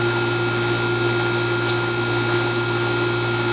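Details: Outdoor AC condenser after replacing weak fan (10 µF reading 5) and compressor (40 reading 35) run capacitors and burnt-point contactor: steady even compressor hum with constant fan drone, no chatter or hesitation; running normally.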